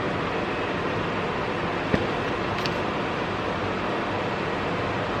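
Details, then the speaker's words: Steady, even rush of air from the front vents with no squeal or ticking: blower working again on a Germany-imported BMW E34 525 restored after a blower motor fire. "Do we have working climate controls? You guys hear that? Do we have working vent functions? Oh yeah. Front vents? Dude."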